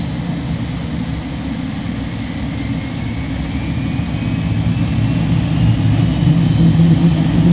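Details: Cirrus Vision Jet, Williams FJ33-5A medium-bypass turbofan rated at 1,846 lb thrust, start heard from the cockpit: a low steady roar slowly building in loudness as the engine spools up, with ITT, N2 and N1 rising; smooth and even, no surges or grinding, a normal start.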